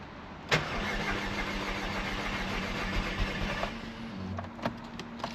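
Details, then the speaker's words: Audi TT being cranked on a jumper pack with the fuel relay removed, after fresh oil and a rebuilt cylinder head with a new head fitted: starter spins steadily for about three seconds with no firing; normal cranking. "Okay, cool. Good. Nice few cranks. Good."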